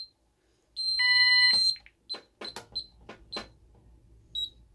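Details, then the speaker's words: Ademco 6137R alarm keypad, fire zone 01 in alarm: one long steady high beep about a second, then short key clicks; keypad uses a longer beep instead of a temporal pattern, then shows bell failure. "One of the big noticeable differences about this keypad is that it doesn't do a temporal beep for fire zone. It just does a longer beep, and then it throws you the bell failure."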